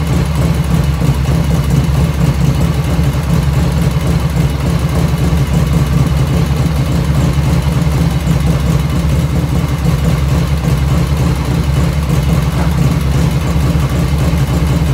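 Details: 1985 Harley FXR V-twin idling just after first start, still cold at about 49°F ambient, right after a float setting: even, loping idle at about three to four beats a second, no misfire or stumble, lifters dead quiet; normal idle.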